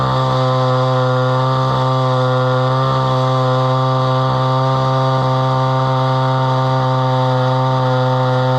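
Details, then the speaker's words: Homelite Super XL chainsaw bought at auction, about 50+ years old, 20-inch bar; strong even two-stroke howl holds steady while cutting wood, no misfire or bogging; runs well with good power. "but that runs pretty good and it's got pretty good power that's a 20in bar"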